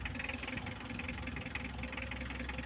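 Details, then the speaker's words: 2015 Mitsubishi L300 diesel idling after timing belt and bearing replacement; quiet even soft clatter and steady low drone, no irregular knocks; coolant spray is just from engine vibration. Healthy idle. "Oke teman-teman, ini sudah berbunyi lur ya, wis sip, suaranya enak ya lur, karena ini memang tahun 2015 sudah ganti 2 kali timing."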